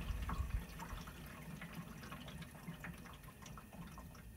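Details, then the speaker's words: Window/wall air conditioner switched off: soft uneven splashes and drips fading as the external condenser fan spins down, the blades slinging drip-pan water onto the condenser coils to cool them. Normal condensate splashing. "so what i want you to hear is the sound of the water that's still on the fan the water that that the fan blades bring up to splash onto the condenser coils to cool those down"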